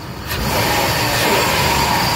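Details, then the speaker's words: 2002 Chrysler Town & Country LXi, 3.8 V6, 54k miles, heard idling with the hood open: a smooth, even hum with no tapping, misses or rough pulses, no leaks, and good throttle response; a healthy idle. "let me pop the hood here so you can listen to it run underneath the hood got a 3.8 V6 engine it idle smooth"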